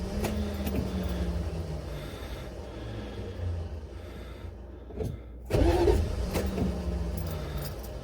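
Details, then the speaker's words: Buick Electra 5.7 L diesel, first start in a year, blown head gasket unrepaired, fuel system unprimed, lots of ether, jump box: long slow labouring crank with pause and fresh burst, never catches; owner suspects starter or shim. "hey well i'm not having a whole lot of luck here hopefully it'll catch"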